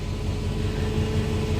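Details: 1976 Ford Econoline E150 restarted after a crank/no-start diagnosed as a suspected fuel restriction; steady, even low V8 rumble with a regular firing beat and no misses, running normally.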